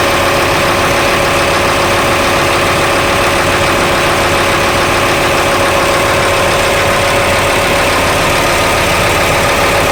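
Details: Engine idling evenly with a faint uneven knock about 85 per minute; abnormal engine noise at idle, source not identified, cause suspected but not confirmed.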